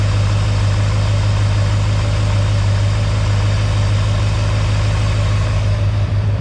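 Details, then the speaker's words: Mystery 350 Chevy small block after shimming the mini starter. The shriek is gone, but overheating and smoke on one side remain. Steady, even low idle rumble with no starter squeal, running smoothly. "so starter motor sounds good didn't fix all my problems but um I didn't hear it do the kind of shriek kind of thing either which is one little problem solved"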